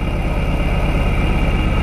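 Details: 1999 Lotus Esprit V8 idling with misfire, two cylinders dead; lumpy idle, steady low beat missing pulses; one ECU coil output terminal reads about 10.5 V versus 12.8 V, wiring ruled out, faulty ECU coil output confirmed, ECU repaired.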